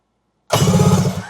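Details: Kawasaki 1100 STX jet ski after replacing the starter, which previously only clicked: strong, even starter churn with steady compression pulses the instant the button is pressed, spinning the engine freely; normal cranking.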